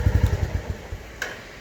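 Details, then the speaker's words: New 2024 Royal Enfield Classic 350 Reborn single-cylinder in neutral: clean, regular thumping idle at about ten beats a second, no abnormal noise, then fades as the engine is shut off. "और आप सुनिए, बिलकुल। कोई आवाज नहीं है, ऐसा कुछ कोई आवाज नहीं है।"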